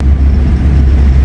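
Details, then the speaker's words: Nissan Primera P11 after gearbox repair (pilot/release bearing noise that stopped when clutch pressed): in gear and in neutral, clutch pressed or released, deep steady drivetrain drone with no whine, rattle or grinding; fixed. "viteste debraj basıyorum ses yok debraj çekiyorum ses yok sola doğru geçelim boşa alıyorum bıraktım debre değil ayağım ses yok"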